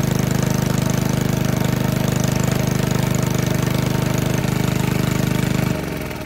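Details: 1951 Briggs & Stratton 6B-SF single-cylinder, 1.75 HP, 3600 rpm rated, restarted after a cold start: steady even beat at constant speed, then winding down on shutoff; healthy running engine.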